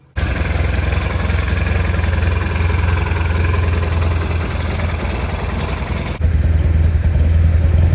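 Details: Fuel-injected 1972 Honda N600 two-cylinder on first start attempts after opening the gap: low, uneven beat that stumbles and nearly dies around six seconds, then picks up; rough running. Suspected crank sensor dropout, ignition timing or excessive fuel pump pressure, unconfirmed.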